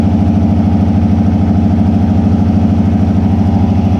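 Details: Turbocharged Subaru with a manual boost controller hose found holed against the turbo: idle lumps unevenly with a rhythmic stumble of about two and a half beats a second and misfiring; cause found to be a failed idle air control valve.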